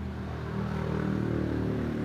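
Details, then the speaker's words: Miyako electric fan that won't turn, only hums. Steady low electrical hum and vibration while powered but stalled, and it spins only if pushed by hand. Later found a bloated capacitor, an open start winding/capacitor circuit, and a damaged shaft and front bushing. "Mesin itu hanya berdengung dan tidak berputar. Benda itu bergetar. Berdengung dan bergetar."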